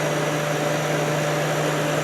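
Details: Kenmore dehumidifier in a cold space after cleaning, compressor just reconnected: even, steady low hum with a constant fan rush, no knocks or rattles; compressor and fan run normally.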